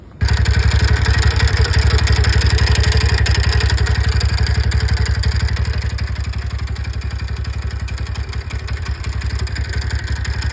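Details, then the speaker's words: TVS Ntorq scooter with an engine noise: sharp, even knocking about three times a second over a steady low idle. Teardown found the crank connecting rod bearing destroyed. "दोस्तों, आप बस देखो। हमें मिल रहा है मैंने इसे खोला और समस्या यह है इसका क्रैंक रॉड का बियरिंग यह बर्बाद हो गया है।"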